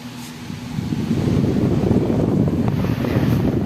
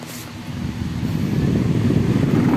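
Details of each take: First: Floor fan spinning up to a steady, even whoosh with no wobble or rattle after replacing its cracked blade with a new banana-type size 18 blade; the cracked blade had caused strong vibration. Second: Electric floor fan spinning up into a heavy buzzing low rumble and strong vibration; the blade hub is cracked, letting the blades wobble.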